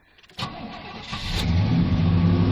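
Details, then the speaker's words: Fuel-injected gasoline Suburban, primed once: brief crank, fires cleanly and climbs to steady fast idle, no misses; owner notes it races at start, throttle suspected sticking, alternator belt noisy. "let's see what she does I'm going to prime it up once oh [Music] that sounded good that might have been"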